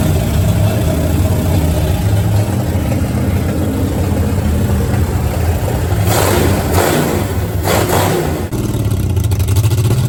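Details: Power Tour Mustang V8, first start after setting distributor timing at top dead center, brief run; deep even rumble with a couple of quick throttle blips, no knocks or misses, running fine.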